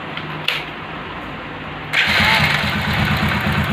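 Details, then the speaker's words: Motorcycle engine after the broken timing chain arm was changed: it starts and settles into an even idle, with no rattle or ticking. "First இந்த சவுண்டுக்கும் இப்ப சவுண்டுக்கு அப்படின்னு பார்த்தீங்களா சும்மா பக்காவா இருக்கு வண்டி எந்த ஒரு பிரச்சனையும் இல்ல"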